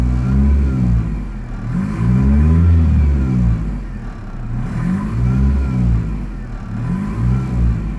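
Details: 1993 Fox-body Mustang 2.3L: idle swells and sags unevenly every couple of seconds with a lumpy low drone, a rough, hunting idle.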